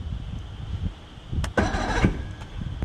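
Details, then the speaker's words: Johnson 115 hp outboard on a bass boat, first crank in about 20 years: sluggish half-second crank, tries to fire but doesn't catch; owner suspects weak battery needing charge. "sounds like my battery needs some more charging that starter sounds really weak uh but you heard it try and fire right there so that's a good sign"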